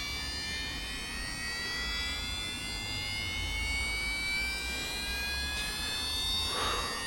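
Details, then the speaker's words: Losi Pro Moto MX RC dirt bike, on the ground with handset on: thin high whine rising steadily in pitch as the gyro flywheel spins up to speed before riding; normal gyro spin-up. "I' got to wait for that to get up to speed. As you can hear, the flywheel now spinning up. So obviously that's the gyro feature, guys."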